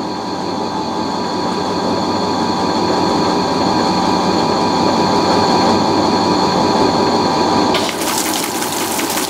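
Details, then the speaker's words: Fisher & Paykel washer spinning a heavy, off-balance load after repair of a squeaking suspension rod: steady spin hum with water rush and faint tone, no squeak; normal spin, fix appears successful. "this is a pretty heavy load it's pretty off balance and i don't hear the suspension rod so that's a good sign that's a very good sign"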